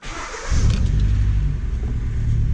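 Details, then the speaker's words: 2014 Hyundai Elantra with P0304 and low-voltage codes just started: low uneven lumpy idle with a loping beat from a dead cylinder; cylinder 4 misfire from failed ignition coil. "creeping creeping creeping car is idling really rough"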